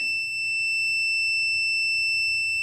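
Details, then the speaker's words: Home-built boost leak tester checking an adjustable normally-closed boost cut pressure switch: the beep keeps sounding nearly three seconds after a fast rise to 20 psi before cutting off around 18 psi, too sluggish a response. "you can hear it like hesitated for a couple seconds before it shut off so I don't know if I like that I don't know if it's responding fast enough"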